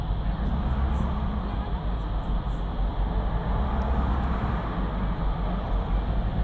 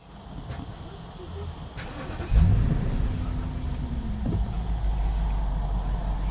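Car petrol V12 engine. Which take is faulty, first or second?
first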